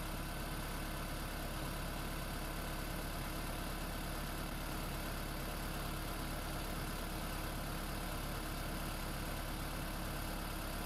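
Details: Freshly swapped 2016 4th-gen engine in a 2012 Prius V, just after first start, running in maintenance mode on jack stands before coolant air purge: a steady, smooth low hum with no knocks, ticks or misses; a normal idle.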